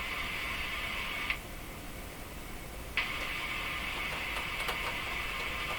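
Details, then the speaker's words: Hallicrafters S-40A shortwave receiver: steady hiss broken by scratchy crackles and pops as the tuning dial is turned gently; plate rubbing ruled out, rotor grounding contacts cleaned, owner suspects oscillation, cause unconfirmed. "turning this just as gently as I can trying not to shake the radio at all it sounds like it's breaking into oscillation"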